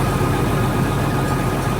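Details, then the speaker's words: Heavy diesel truck idling parked: faint light ticking rattle down low that stops when the clutch is pushed; clutch brake suspected to be going out, not confirmed. "And it stops if you push the clutch, so I think the clutch brake's going out. You can really kind of hear that rattling over here."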